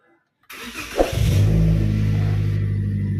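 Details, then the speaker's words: Car engine start right after replacing a weak battery that could no longer crank it: brief crank, then it catches straight away and settles into a steady, even idle with no stumbling; a healthy start. "Sudah langsung greng kayak gitu."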